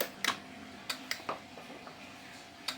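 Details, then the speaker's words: LG WD-P1410BRD front-loader washing machine control module, dead totally, after replacing TOP246YN PWM IC in primary supply: sharp crisp relay clicks on power-up, no buzz or chatter; relay working, 305 V on filter capacitor. "Nah, bisa teman-teman dengarkan untuk relay sudah bekerja ya teman-teman."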